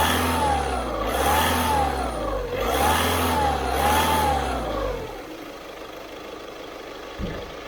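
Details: 2012 car with a suspected turbo noise: whistle swells and fades with each throttle blip over the engine note.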